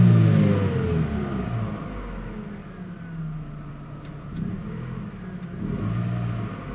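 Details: Chevrolet Aveo, before catalytic converter swap to spacer: deep even exhaust note rises cleanly with each rev and settles smoothly, no rattle or blowing; normal stock exhaust with catalytic converter.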